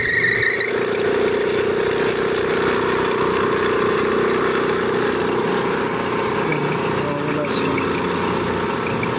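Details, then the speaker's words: Air compressor on first start: loud steady droning whine with a brief high squeal that fades after a while; slipping worn drive belt, old belt not yet broken. "Ayan guys ito yung problema niya e pag unang start niya ganyan maingay siya tapos maya-maya mawawala siya yan ang naging problema nito"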